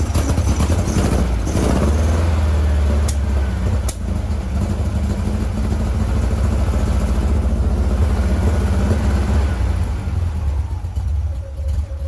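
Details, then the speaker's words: 1956 VW Bug flat-four with replacement 40mm IDF/HPMX-style dual carbs, linkage and adjustments out of sync, after fixing the carb dumping fuel: fairly even low chug without stumble, now running on all four cylinders, best in a while. "huh well it's amazing what a difference two functioning carburetors make and four cylinders versus two cylinders so this actually the best the cars ran in a little bit"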